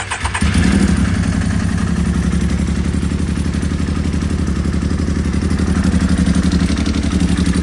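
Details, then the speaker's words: Can-Am X3 just converted to a smaller FP Green turbo with the MoTeC standalone ECU removed: an uneven, stumbling idle right after start, sounding like it runs on two cylinders, with low fuel pressure around 50. Cause not confirmed. "Well, it sounds like it's on 2 cylinders. See what that fuel pressure is."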